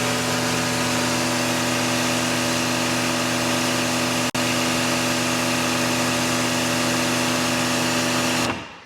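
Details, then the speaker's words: New AR635 pressure washer, over 3 GPM at about 1,000 PSI with a 6.5 orifice, drawing about 18.2–18.3 A: loud, steady induction-motor hum and pump buzz while spraying, winding down cleanly; healthy, beefy but noisier than expected. "It's not to say it's a bad sound, it's a very industrial sound. This is not a universal motor sound at all. This thing sounds very healthy, very beefy, but it's just something to note."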